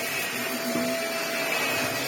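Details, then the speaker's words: Vax Air Stretch bagless upright corded vacuum, after servicing, head on maximum suction: steady motor roar with a thin constant whine, no grinding or rattling; running normally. "yeah, that's fine. Little whiny noise, but nothing. You can ram it into the that works really well. Vax Airs always do work really well, to be fair."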